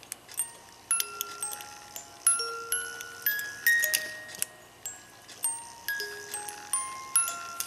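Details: Music box of a 1980s one-day chalet cuckoo clock with dancers, after adjustment, set on a desk as sounding board: bright plucked comb notes in an even, unhurried tune, no drag; plays cleanly.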